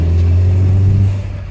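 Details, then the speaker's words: Peugeot 307 driving after trizeta (driveshaft tripod joint) replacement: steady low road and engine rumble, no knock or rhythmic clunk; steering vibration gone, remaining slight noise attributed to an engine mount near the coolant reservoir. "Acabou as vibrações na direção, tá com barulhinho, só que é o calço do motor"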